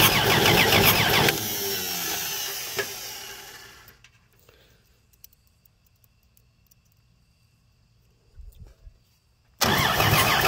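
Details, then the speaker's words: Free 239 3.9-liter V6 first start, fuel poured into carb via homemade adapter, oil just added, good oil pressure; catches with loud rough burst, labors and fades, long gap before refiring; ignition timing set way too far advanced, being backed off. "got too much advance there don't i let's go back a little bit way too much"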